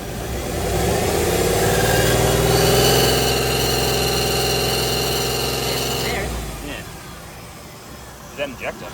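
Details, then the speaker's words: LS1 V8 Holden Adventra at idle, belts removed: a light regular tick of about 3–4 per second after a blip, heard from one bank only. The owner suspects the injectors; the cause is unconfirmed. "okay plenty of herd injectors made that noise but that's kind of where the sound's coming from"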